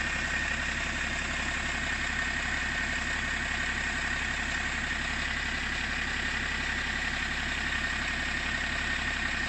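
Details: BMW 525d LCI with M57N2 diesel at idle: steady clatter with a faintly uneven, lumpy beat about three pulses a second, engine cover vibrating; owner asks whether this rough idle is normal, cause unknown.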